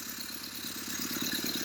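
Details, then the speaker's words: Triumph Spitfire, first start in about 25 years after correcting distributor timing, on starting fluid with the starter solenoid jumped: quiet, fairly even firing at a fast idle, throttle propped slightly open; running steadily. "boom first start in 26 years i believe wow wow wow idle just a second ago it just needs to be propped open just a little bit"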